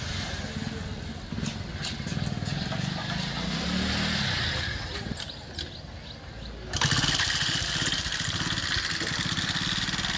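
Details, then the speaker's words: TVS XL 100 Heavy Duty: small single engine starts and runs with fast light ticking over the exhaust beat. The head cover is opened to check timing chain versus tappets, and it is tappet noise from excessive valve clearance. "तो गा आपने सुन लिया यह sound किसका है उसकी timing चैन का है या टपट का है"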